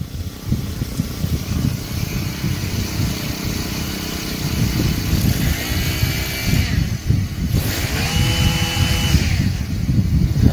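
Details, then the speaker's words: Honda GX35 brush-cutter engine on a water pump, after repairing the carburetor for a no-start: it buzzes up to a high, steady whine and holds it cleanly without stumbling; it revs smoothly and sounds normal. "quay cao cũng rất mượt mà. Đây là một phản ứng rất bình thường."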